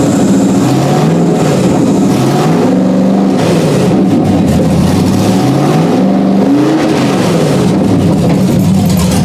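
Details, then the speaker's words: 1991 Porsche 944 S2 with swapped Chevy 6.0 LS L77 V8, first start in over a year, open headers: loud raw rumble, revs rising and falling smoothly with no misses or knocks; runs fine. "it's just open headers so it's going to be loud if it starts up [Music] so"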